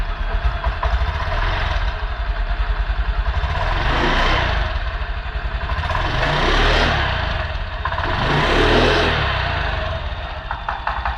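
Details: Honda Beat/Genio/Vario-type scooter after fitting a Brisk spark plug: even idle then three clean rev blips rising and falling smoothly, no misfire or stumble; normal running.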